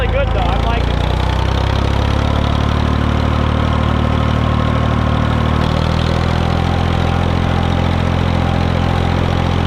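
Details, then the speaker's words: International 454 British diesel loader tractor driven in third gear, high range, after its missing was cured: strong, steady drone under load with no misses or sputters, and no smoke. Normal running. "unning pretty good. Not missing. Not sputtering. And not smoking either, which is like I said, it it cleaned up pretty damn well."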